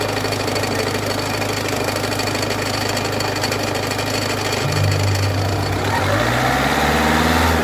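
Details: Peugeot 206 1.4 HDi diesel idling with a steady rhythmic knock, about three a second, from a damaged crankshaft pulley that must be replaced before it breaks.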